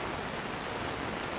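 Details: Omegasonics ultrasonic cleaner tank cavitating during normal operation, pump rarely used: a steady, even hiss like rushing water with no pulsing or rattles.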